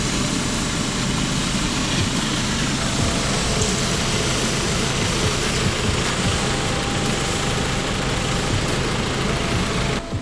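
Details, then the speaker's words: Honda Civic EK D16Y4 idling after a 10 km drive: steady loud hiss over the idling engine throughout, with bubbling, steam escaping from a previously patched, now holed radiator leaking coolant. "when I pulled up I heard a lot of bubbling a lot of hissing and it didn't sound good so I pop the hood"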